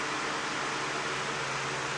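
Soft steady airy rush with a faint low motor hum, no ticking or rubbing; fan running smoothly and healthy.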